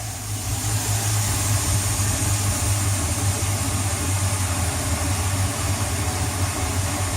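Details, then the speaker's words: Boat engine after fuel pump replacement and priming, previously hard starting and limited to 4000 rpm at wide open throttle: deep, even, steady idle with smooth low rumble, no misses; much quieter, running properly. "boy is it much quieter"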